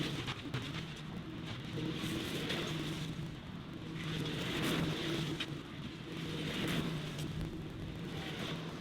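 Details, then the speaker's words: Maschio flail mower on a turbo John Deere 2308R shutting down: as the drum loses momentum, loose irregular clacks rattle out from the dangling hammers smacking the drum; sounds bad but normal and harmless. "I hate the way that sounds when it shuts down. I'm aware that it's just as it loses momentum, the hammers dangle and smack the drum a little bit. It's nothing bad, but it sounds like a bad noise."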